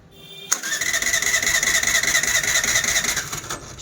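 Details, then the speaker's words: Suzuki Access BS6 scooter that slows and stalls while riding and starts only with throttle: about three seconds of high whirring cranking at closed throttle that never catches; idle control fault. "ఇప్పుడు మనకి ఈ బండిలో complaint గాని చూసుకుంటే మనకి running లో పోతూ పోతూ ఉండంగా స్లో చేస్తూ ఆగిపోవడం"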